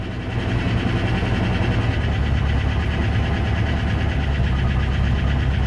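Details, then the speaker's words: Late-1993/Jan-1994 Range Rover Classic Vogue V8 idling after reattaching earth strap: steady even low rumble, no misses or knocks; now runs properly. "so I think that was in the end I think that was that earth problem"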